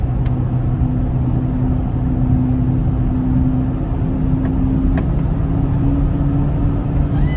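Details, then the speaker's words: 2004 Chevy Trailblazer LS EXT 4x4 4.2L 6-cylinder on a test drive with the spare tire fitted. A steady low hum and slight vibration change with speed and seem to come from the front passenger side. The tire is ruled out; a worn wheel hub bearing is suspected. "okay so that test driving session just proved to me that it's definitely not the tire with the hum and the slight vibration changing with the speed of the vehicle i'm really suspecting that it is the wheel hub"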